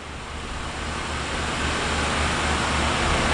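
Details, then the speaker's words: Sitek 2300 spin rinse dryer with 4-pole insert rotor, spinning at 500 rpm: soft steady whoosh with low hum, barely audible or felt, no wobble or knocking; normal smooth low-speed spin. "we're back down to 500 don't even hear it running can't even feel it running"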